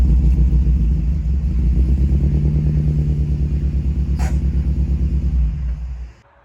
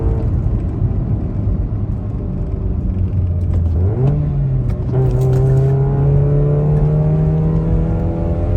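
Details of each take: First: Toyota Echo 1.5 with 391,000 miles after a mis-shift over-rev: lumpy uneven idle with deep chuffing pulse about three times a second, bad misfire (cylinder 1), high fuel use (half tank in 30 miles). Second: Toyota Echo 1.5, 391,000 miles, near-straight-pipe exhaust, after a misfire that caused low-rpm hesitation and gurgling was fixed: accelerating at full throttle, revs climbing smoothly with no stumble or popping; normal acceleration.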